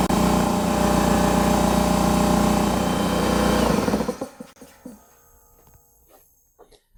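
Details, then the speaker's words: Husky 33-gallon air compressor C331H with bad pressure switch: steady motor-and-pump drone keeps running past 150 psi cut-out to about 152 psi until switched off by hand; compressor not shutting off. "this particular compressor should be shutting off at 150 psi with that pressure switch being bad it would keep running which is dangerous"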